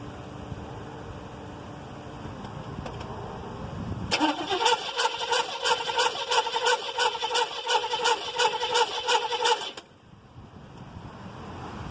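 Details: 1979 Chevy Caprice, fully charged battery being drained: starter churns steadily about three beats per second for six seconds, then stops without catching; cranks but won't start.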